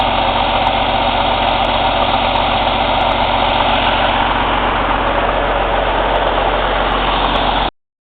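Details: Cummins ISX CM2250 diesel at steady idle during DPF regeneration: fast breathy rhythmic chuffing from the intake, no mechanical knock; owner suspects turbo chuff during regen, unconfirmed.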